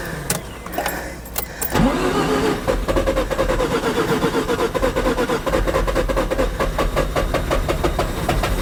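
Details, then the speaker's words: 1988 Mazda RX7, 1.3 L 13B twin-rotor rotary, sat 10+ years, ether in the intake: steady rapid whirring crank with a few firing coughs but it never runs. Cranks, no start; probably getting spark, fuel suspected. "Nope. Okay, so we know that it kicks over with ether sprayed into the intake. So, we're probably getting spark."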